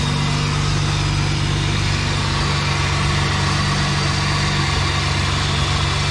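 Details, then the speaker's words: Holden VX Commodore just started after new radiator installed: steady, even idle with constant low hum, no misses, knocks or squeals; engine running healthy. "Just gotta start that up. Oh, like a dream."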